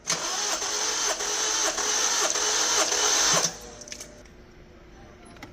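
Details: Honda CR-V that was towed in: the starter cranks steadily at about three turns per second for about three seconds, but the engine never fires; cranks but does not start.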